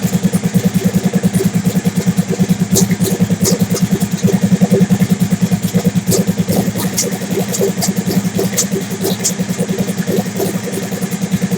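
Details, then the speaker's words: Big-turbo Suzuki TL1000R V-twin with 560cc injectors and Power Commander, after idle tuning: steady, lumpy idle with an even pulse of roughly three beats a second, no misses or rattles; owner happy with it, normal idle. "all right I'm happy with what I'm seeing here okay I'm happy with what I'm looking at"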